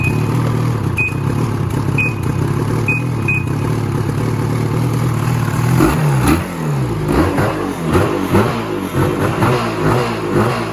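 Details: 2016 Ski-Doo Freeride 800 E-TEC two-stroke sled that bogged off idle and wouldn't rev over 1200 rpm, after throttle cable free play adjustment: picks up crisply, revving freely in repeated blips with no bog or stumble; healthy free revving.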